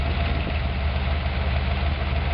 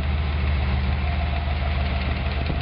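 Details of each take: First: Ford 302 V8 wagon with carburetor and larger secondary jets, right after valve adjustment (loosened until clacking, tightened until quiet plus a quarter turn): steady even idle, smooth low burble, no lifter clack or ticking; valve lash set correctly. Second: Wagon with 302 V8 (Project 302), valve adjustment at idle: steady rumble with a light, fast clacking from a deliberately loosened rocker, which is then tightened until the clack stops, plus a quarter turn.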